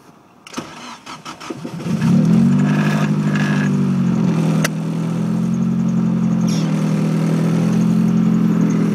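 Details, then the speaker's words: 1993 Mazda Miata with Nissan SR20DET swap, cams and 3-inch straight pipe, cold start: short crank, catches within about two seconds, then settles to a smooth, even idle; normal cold start. "It starts up like that every time. It never has a problem starting at all."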